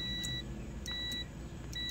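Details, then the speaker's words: OMC Cobra / Volvo Penta SX sterndrive, testing overstroke/interrupter switch on shifting into gear: three short high beeps about every 0.9 s of audible continuity over low engine rumble; switch sends power to engine shift assist, slowing idle to about 400-600 rpm; working normally. "hear the continuity what that's telling you is it's sending power to the ESA system to slow it down and what it typically does is it slows your idle down to around like four to six hundred rpms and that it makes it easy for shifting right"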